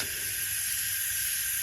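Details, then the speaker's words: BMW F10 N55 engine leak-down test at 100 psi, engine off: steady faint hiss on one cylinder, called 95%, leakage barely felt by nose; healthy cylinder. "with only this much leakage and literally i stick my nose in here and you can just barely feel the air pushing by that's not a lot of leakage to be able to really detect but i'm going to call that 95 so that's great"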